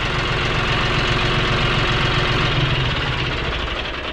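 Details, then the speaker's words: John Deere 5065e diesel tractor after replacing a failed starter with a cheaper aftermarket one that cranks faster: steady idle with even quick clatter and firm low rumble, no misses or odd knocks; normal idle. "Oh, it sounds great. Oh, it's so much faster. I love it."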